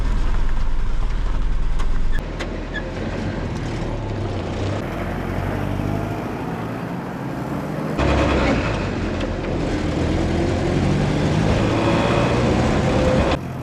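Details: Willys CJ-2A with its T-90 transmission rebuilt using the cheapest eBay parts, road test at about 40 mph: steady drone with tyre and wind noise, no gear whine, clunks or pop-outs; transmission working normally.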